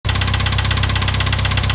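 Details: IH 2544 tractor at idle: sharp, evenly spaced knocks at roughly fifteen per second over a heavy diesel idle; clear engine knock, source still undetermined.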